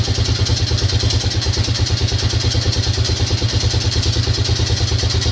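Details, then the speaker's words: Grizzly 600 ATV after carb work and a new intake boot with correct clamps, idling cold before warm-up: rapid light clatter and a repeating tick over an uneven idle. Owner suspects a noise down in the engine; the engine had been apart before; unconfirmed. "I don't mind doing it, but I mean, that's bad is it's got that damn, it's got a noise down in the engine."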